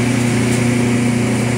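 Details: Sharp twin-tub washing machine spin dryer: steady low motor hum with an even drone and no speed build; weak spin dryer from defective dryer motor, replaced.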